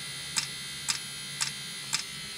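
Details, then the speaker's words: Diesel-fired block heater on a 2016 Mercedes Sprinter van with a 2.1L four-cylinder diesel, running on diesel from the van's tank, at startup: crisp, sharp ticks about twice a second over a faint hum as the fuel pump meters fuel; normal ticking. "the fuel pump clicking right there, and it does smoke sometimes."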